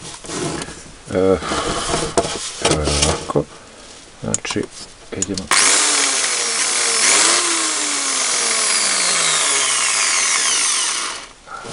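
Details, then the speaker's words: Electric drill running at full speed with a harsh, rattly, uneven whine and a violently shaking chuck, caused by a worn bushing in the gearbox (reduction gear housing), before repair. "The drill works but is very noisy and as we can see the drill head is shaking really hard."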